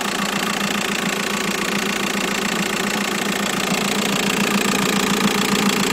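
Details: Idling engine on an inspected used car, said to be a 2006: steady light knocking, roughly three to four a second, over the engine hum; a worn crankshaft pulley damper is knocking.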